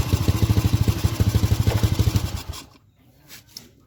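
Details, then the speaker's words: Honda Supra series carbureted motorcycle, black fouled spark plug, stalls, sweating carburetor: lumpy uneven idle about three beats a second, stumbles and dies; rich running, main jet, pilot jet, needle and needle jet to be checked. "Suaranya jebeb. Oke, kita langsung buka saja di bagian karbu dan kita cek satu persatu di main jet, pilot jet, kemudian di jarum besarnya dan noksel tak."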